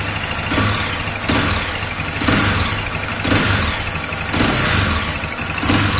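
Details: 2021 Honda Twister motorcycle idling with a swell-and-dip about once a second and rough, uneven clatter; cause unknown; unusual engine noise at idle.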